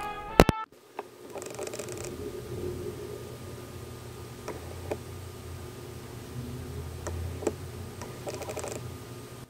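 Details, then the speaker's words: Canon RF 28-70 f/2 lens on EOS R, recorded with the built-in mic: faint bursts of fine crackling ticks over room hiss as the autofocus motor hunts during face tracking; not heard with an external mic. "I just wanted to point out that this lens still does make noise when it focuses"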